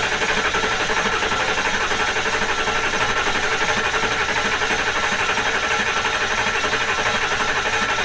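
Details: Diesel just fitted with new injectors and reassembled, idling after the rebuild: even, steady clatter with a regular beat and no misses or hard knocks; running smoothly.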